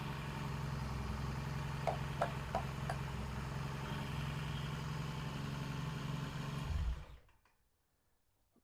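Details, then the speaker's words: 1968 Triumph T100C twin, about 400 miles on the engine, owner reports recent smoke, after cold start: quiet steady even low idle with a few light clicks, then shut off; seems to be charging, no vapor yet; normal idle. "This sounds pretty good. Seemed to be charging, throwing a good bloom on the wall."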